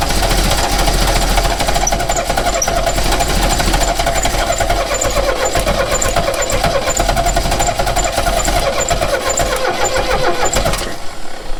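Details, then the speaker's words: 1969 Renault 16 petrol, not run in years, on a rigged external fuel supply with fresh petrol after earlier no-spark troubleshooting: fast steady cranking for about ten seconds, never catches; cranks with no start. "Can't smell any burning. That's a good start. So that didn't work."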